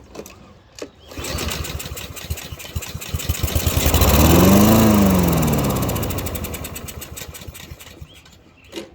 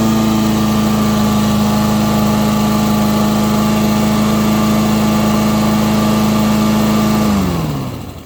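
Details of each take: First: Free Husqvarna lawn mower with stale old fuel, fresh fuel added and a few drops poured into the carburetor: engine fires, revs a few seconds, then fades and dies; carburetor fuel starvation, likely clogged carburetor needing cleaning. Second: Free Husqvarna lawn mower that wouldn't start, after cleaning the clogged carburetor and adding fresh fuel: steady, even hum at constant speed for seven seconds, then it winds down smoothly at shutoff; runs well.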